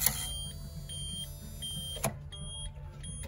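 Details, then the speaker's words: 2004 Blue Bird SC2000 bus, 5.9 Cummins diesel, long-sitting, battery shot and on a charger, full gauge sweep: on crank only beeping and clicking, no starter spin, no attempt to start; owner hopes electrical or starter fault, not a seized engine. "nothing happens. Beeping, clicking, no start, no even attempt to start."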